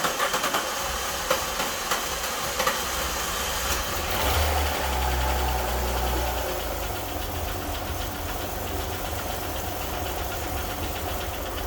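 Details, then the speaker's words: Alfa Romeo GTV V6, not started for years, first start after cam belt change; choppy cranking for several seconds before catching to idle; long crank, probably because there was no fuel in it and fuel had to be drawn up from the tank. "as you heard hopefully heard anyway I think I recorded it it was quite a long time to start but that's probably due to the fact that there was no fuel in it and it was all out to be pulled from the tank"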